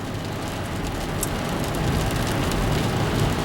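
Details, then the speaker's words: 2006 GMC Envoy test drive after replacing both wheel hubs, the old passenger hub having ground with flat spots: only smooth tire and road rush, no grinding or rhythmic growl; the noise is gone. "and the noise is gone did not hear it anymore makes me feel much better"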